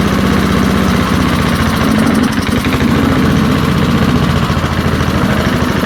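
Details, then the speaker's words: Early-1970s BF Goodrich push mower, a barn find that sat for years with a seized engine, now freed and running outdoors after carburetor diaphragm work: even, rapid single-cylinder exhaust pops holding a steady speed without stumbling. Normal running. "well there we have it there I'm really quite surprised this thing sitting there running as nice as can be"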